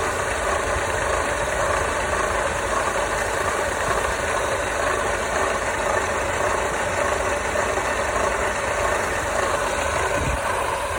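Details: W208 engine knocking and scraping at idle: a busy, rattly knock with a steady scraping edge underneath.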